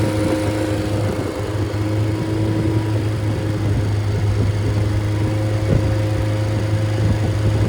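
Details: Freshly rebuilt 1500 MG Midget/Triumph Spitfire engine with double timing chain and double valve springs, compression 178–186, about 9.1–9.2:1; smooth steady four-cylinder hum with no tapping or knocking, good oil pressure, runs very smoothly.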